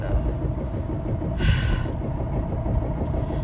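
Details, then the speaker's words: Car driving while doing deliveries, just back from the shop: heavy low rumble with a rough repeating throb underneath. Driver says something came off the bottom of the car; the cause is unknown. "Something's really wrong. Do you hear it? Something just literally came off the bottom of my car."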